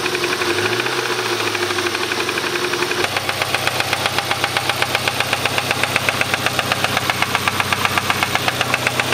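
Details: Subaru Impreza RS after a rallycross: after start-up a sharp, steady knock over idle at about two to three per second, rod knock, likely spun rod bearing.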